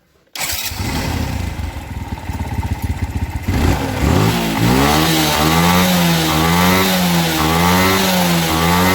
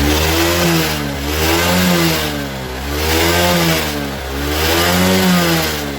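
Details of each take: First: Suzuki Smash motorcycle after repair for heavy fuel consumption, black exhaust smoke and no idle: starts rough and lumpy, then settles to a steady healthy idle with slight pitch wander; normal idle. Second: Suzuki Smash motorcycle, blipped throttle rises and falls unevenly with a soft, lumpy note and no steady idle; torn carburettor hose causes rich running, black exhaust smoke, fuel waste and inability to idle.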